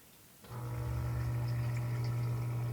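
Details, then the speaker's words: Newly installed submersible effluent pump replacing a 25-year-old one that hummed without pumping and thermally shut off; runs after water level rises: kicks on into a steady, low, even hum with no rattle or grinding; operational, no leaks, normal. "so there you have it the pump is operational it doesn't look like I have any leaks here"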